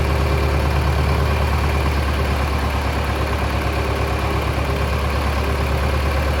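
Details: Mid-1960s John Deere 3020 diesel tractor, about 477 hours, just restarted after sitting 5 years: low even diesel clatter at steady idle, no misses or knocks; normal idle.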